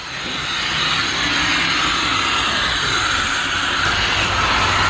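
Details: 1986 Pontiac Fiero GT V6 (Ferrari F355 replica), just started on 4-5-year-old gas, revved in the garage: a steady high whistle rides over the engine through the rev, because no air intake is fitted on the open throttle.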